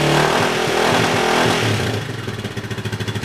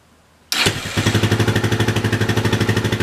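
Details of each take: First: Yamaha 660 single-cylinder after carb re-jetting for a lean condition, tank loosely fitted; rev dies away into an even steady idle thump about three per second, very little popping, healthy. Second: Yamaha 660 single-cylinder after carburetor rejetting and needle adjustment for a lean condition, on reserve fuel, in neutral: starts and settles to a quick idle, mostly even with slight breakup; pretty good.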